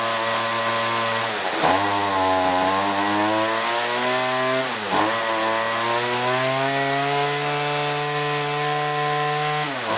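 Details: Weedeater small two-stroke during low and high carburetor adjustment: revs up and down cleanly, with a crisp, even tone rising with throttle and no stumble. Normal running.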